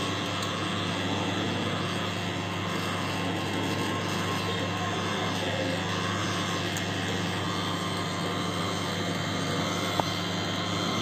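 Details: Running LG microwave oven: steady, loud drone with a constant hum. Noisy turntable motor.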